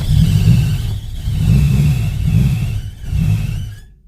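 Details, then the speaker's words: Integra Type R that sat outside for 10 years, cranking: slow uneven surges, briefly catching then bogging and dying; seized alternator is dragging the engine and preventing start, so it is to be removed. "Yeah, that alternator's keeping it from starting all the way since it's seized up. So I gotta pull that off so that she can start up."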